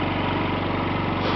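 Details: Yamaha C3 49cc fuel-injected scooter, thought to be a 2009 and believed liquid cooled, fired up while hooked to a scan tool after a no-start: a quick, even putter at steady pitch with no knocks or misses, sounding healthy.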